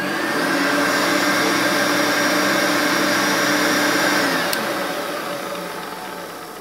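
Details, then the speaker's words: Hoover Turbopower U2196 Autoflex vacuum from January 1985, Electricity Board exclusive: smooth, even high whir at steady pitch, then clean wind-down after switch-off; motor sounds healthy, running normally. "I've just bashed the night whoopsie well out of it it sounds absolutely superb"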